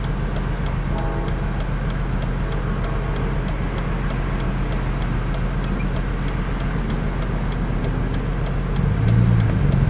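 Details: BMW E46 M3 inline-six idling lumpy and uneven with a stumbling exhaust; misfires on all six cylinders caused by the pre-cat O2 sensors being swapped between banks.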